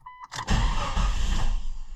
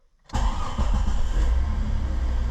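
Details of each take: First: 2000 Jeep Cherokee 4.0L with buzzing ASD relay at key-on: a short tone, then the engine catches with a burst of rumble and quickly stalls; hard start unless throttle is given immediately; relay fault suspected. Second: 2000 Jeep Cherokee 4.0L, engine start after replacing a suspected hairline-cracked fuse that made the ASD relay buzz with key on: starts cleanly first crank without throttle, settles to steady even idle, no stumbling or stall; normal engine start after fix.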